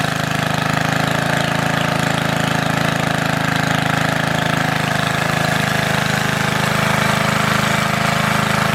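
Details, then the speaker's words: Antique Goodall-Modern edger with 3hp Briggs & Stratton engine, last run mid-1990s, started after fuel turned fully on, many recoil pulls needed; steady fast chug, about three beats a second, even and unbroken; normal running. "so I got it running guys took quite a few polls"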